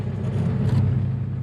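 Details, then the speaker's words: 1949 Pontiac Silver Streak idling after an oil and coolant change (fresh oil, about 4 quarts); smooth, even low rumble with steady beat, no knocks or ticks, like a sewing machine. Normal idle. "Like a sewing machine."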